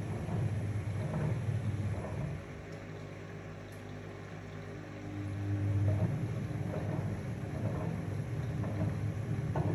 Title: Privileg washing machine noise